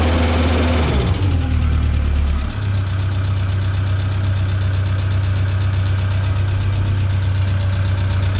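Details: Tennant M20 sweeper, Vortec 1600 engine, first run after a head gasket replacement: drops from a rev to a smooth, steady low hum at even speed with no knocks, misses or hunting, so the engine is healthy.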